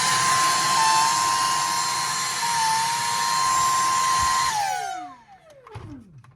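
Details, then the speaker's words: Dyson handheld cordless vacuum; piercing steady whine near 1 kHz over airflow, gliding down at switch-off, from the over-flexible O-ring gasket at the purple filter vibrating; fixed by packing earplug cord into it. "the gasket stuck in there which causes that rubber gasket to vibrate make that annoying sound"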